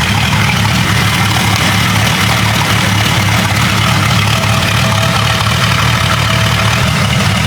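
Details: Warm Jeep 5.0 stroker (about 4.9 L) with stage three cam after fitting longer push tubes to cure engine noises, headers about 400°: steady, even low rumble at idle with no ticking, knocking or misses; idling smoothly.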